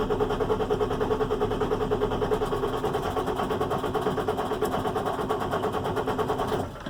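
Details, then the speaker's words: International MaxxForce DT466 diesel, starts cold but won't restart once warm: steady starter cranking about one beat a second, never catching, with no cranking-speed drop from high-pressure oil pump; suspected low injection control pressure. "now this thing would you can crank this and crank it and crank it into your blue and you know you've run the batteries down and killed it and it's not going to start okay"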